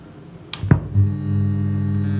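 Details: Audio amplifier mains hum: after a switch-on thump, a steady low buzzing hum settles in at a constant pitch.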